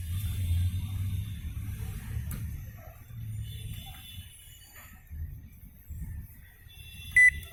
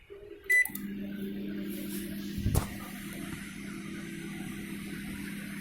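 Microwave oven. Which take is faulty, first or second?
first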